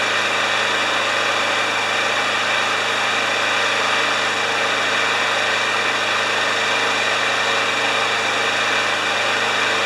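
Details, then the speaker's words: John Deere JS30 mower, Briggs & Stratton Quantum engine with automatic choke, running on the stand after the blocked carburetor was cleared with carb spray. Steady, even drone with no surging or misses; some smoking and oil in the muffler were noted. "Yes, I'm going to start it on the stand. It's It's an automatic choke. It should just start right up."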